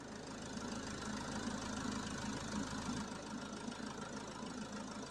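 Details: Citroen Jumper campervan with a 3.0L Iveco diesel idling steadily with the AC on during a refrigerant recharge with 15°C vent air: an even clatter with a rushing fan on top. The engine holds speed fine under AC load.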